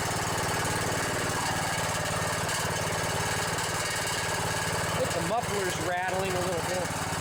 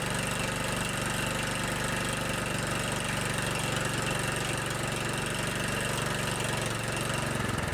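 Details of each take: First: Riding mower with a Briggs & Stratton Intek 17.5 hp OHV single-cylinder engine: a steady chug with a loose, buzzy metallic muffler rattle on every firing pulse; the engine otherwise sounds good. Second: Kohler Command 15 hp engine on a riding lawn tractor, started cold on a chilly morning. After clearing out, it holds a steady, even idle putter with no misses or knocks and runs well.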